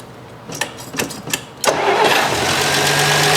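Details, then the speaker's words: 1966 Canadian Valiant six-cylinder, not started in 10 years, carb mixture richened: uneven cranking bursts, then a lumpy, unsteady idle running on five of six cylinders because a spark plug wire was off; fixed by reconnecting it. "well this is rather embarrassing i had a spark plug wire off it was only running on a on five out of six now it's running on six good"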